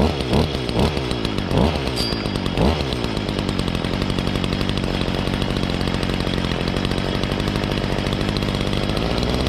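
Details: 2011 Stihl FS55R trimmer, 27.2cc two-stroke, nine years old, last run November 2019, cold start on choke and primer bulb; a few quick throttle blips then a steady, even high buzz without stumbling or surging; normal running.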